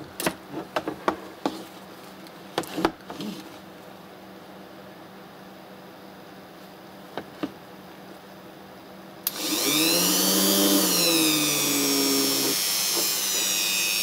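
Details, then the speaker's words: Ryobi rotary engraver spinning up to a smooth, high, even whine that shifts pitch with speed, no rattle; vibration fine, only one housing part vibrates against another at maximum speed; normal running. "на максимальных оборотах вибрирует эта часть с этой частью по поводу вибрации все в порядке и так шум и"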